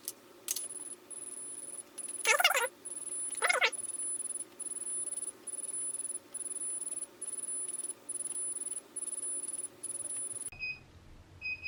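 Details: KO Factory Spec controller on a Sur Ron Light Bee MX during throttle calibration (throttle held open at power-on): high steady beeps about once a second with clicks between, a continuous fault signal; afterwards the bike won't run.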